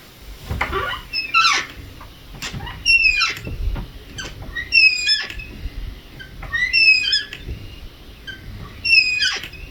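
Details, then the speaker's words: Door hinge that had squeaked for years, checked after spraying silicone lubricant from both sides: the door swings with short high squeaks and a light scrape on each pass; it needs more working in or more lubricant. "There's a little bit of a scrape, so I'll just kind of work that in until the squeak goes away completely."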